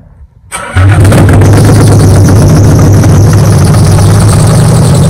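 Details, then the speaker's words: Nissan 300ZX Z32, sat for years: with starting fluid sprayed in, cranks briefly, catches within a second and holds a loud, steady, even low rumble, rpm building; engine running again after revival, old stale gas still in tank. "well it stayed running but i didn't spray quite a bit of starting food in there like it was starting to build too yeah like the rpm was starting to go up oh there you go it runs it runs and now the neighbors probably hate me"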